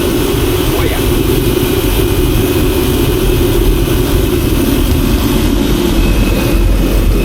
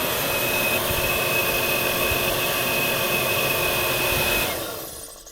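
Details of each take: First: Diesel space heater, unused 3 years, after fixing a broken spade connector, run without cap: constant even roar with no misfire; normal running, though owner thinks it runs a bit rich and smokes from burning off old fuel. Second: Old space heater unused about 3 years, plugged in and switched on for milking parlour: steady fan rush with thin high whine but no burner roar; fan runs but fails to ignite.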